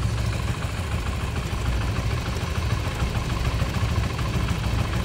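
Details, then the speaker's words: Modenas Z15GT (ZGT) motorcycle, stock, at idle: fast uneven tok-tok ticking over a low rumble, unchanged with clutch pulled in; owner thinks it comes from the head/top set or possibly the connecting rod, cause unconfirmed. "Ada bunyi macam tok tok tok tok tok tok tok tok tok tok. Ni motor standard guys. Ha motor standard. Kalau tarik clutch pun sama. Dia still akan berbunyi."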